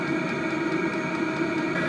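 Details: HCALORY 5-8kW diesel heater, set just above middle, on a Bluetti AC180 power station via a 250 W driver, settled around 40 W after warm-up: steady whirring hum, constant fan tone, no surging or stumbling; running normally.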